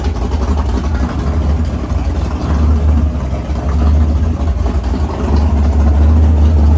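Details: 500ci big-block Mopar 440 (built by Indy Cylinder Heads) in a 1969 Barracuda, first fire-up in the car: heavy rumbling V8 idle with rhythmic cam lope, idle turned down to about 1100 rpm, cam chop clearly audible; healthy engine.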